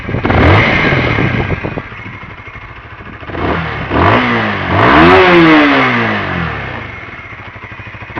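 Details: Newly bought Honda CBR125R four-stroke motorcycle, about 75 mph top speed, outdoors in wind; starts cleanly, settles, then two crisp rev blips rising and falling smoothly, no knocks or rattles; normal start and revving.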